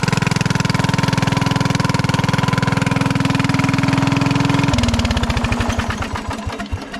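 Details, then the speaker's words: 1996 Craftsman LT1000 Turbo Cool lawn tractor at first start after storage, running on carb spray: loud, harsh, unmuffled popping at about three beats a second as it runs then stumbles down; owner wondered about a head gasket, but the muffler was cracked. "about as long as I want to run that in its condition super loud you know it looks like the muffler's all there I wonder if we got a head gasket issue"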